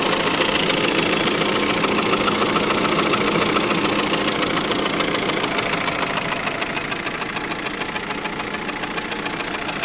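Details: 2003 Saab 9-5 petrol engine idling: fast, steady light chatter about three a second riding over the run; engine chatter, cause unknown.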